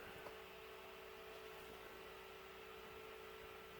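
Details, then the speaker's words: 2010 MacBook Pro during repair, cold boot; steady airy rush with constant mid-pitched tone and higher whine, fan screaming at full speed for no known reason. "I don't know if you can hear that, but the fan is absolutely screaming for some reason. I don't know why."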